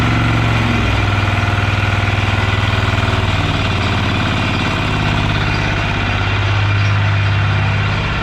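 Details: Yağmur YET 300 single-cylinder tiller engine after repair (had tipped over, then misfired, stalled and its starter wouldn't pull): steady, even thump about 200 beats a minute, no misses or knocks; running healthy.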